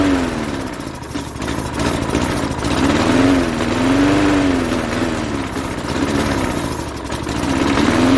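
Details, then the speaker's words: 1988 Jacobsen mower with a Briggs & Stratton 3.5 hp engine, running only on starting spray: it surges up and down every couple of seconds, starved for fuel; the owner thinks no fuel is reaching the engine from the carburetor, and carburetor cleaning is planned. "that's cool um i think we need to take the carburetor apart now and clean it out because we're not getting fuel from the carburetor into the engine"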